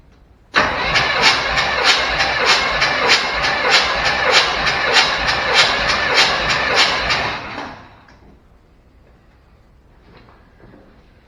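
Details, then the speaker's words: Chevrolet C10 compression test cranking, tester threaded into spark plug non-fouler; this driver's-side cylinder reads 180 psi (bank: 130, 175, 200, 180; number 1 weakest); even cranking about 97 beats a minute, good compression. "We're 180 on that one. So down the driver's side, we started with 130, then went to 175, then to 200, then to 180."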